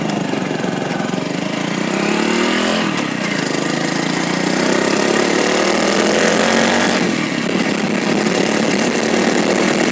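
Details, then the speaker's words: Hero Splendor Plus after the primary gear was replaced. The small single ticks over evenly and picks up cleanly on two throttle blips, with no gear whine or rattle. The primary gear noise is cured and it sounds healthy. "तो गाइ आप सुन सकते हैं bike के अंदर बिल्कुल भी sound नहीं है तो यही प्रॉब्लम था इस बाइक के अंदर"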